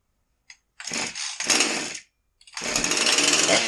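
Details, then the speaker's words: Husqvarna 346XP chainsaw after cylinder base gasket air leak repaired: fires in ragged bursts, dies and won't hold idle; owner had turned idle down for the leak, so idle speed now too low. "But now that we sealed that air leak and all the air and fuel are coming through the carburetor, and we don't have that lean condition, we don't have a big enough throttle opening to keep it running."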